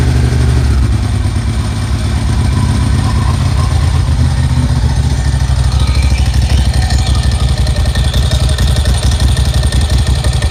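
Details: Air-cooled 1990s Ducati SS/Monster with Mikuni carbs after Dynojet kit fitting, started on choke after priming the fuel pump: deep, steady twin thump at fast choke idle, even beat with no misses or clatter; normal idle.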